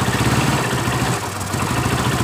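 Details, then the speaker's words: Yamaha Mio Soul reassembled after total failure, valves adjusted, idling: coarse uneven rattle over the steady low drone; runs normally but rough noise from magneto (dynamo) area. "coba kita hidupkan motor hidup dengan normal cuma yang ribut ini di bagian dinamonya suara kasar"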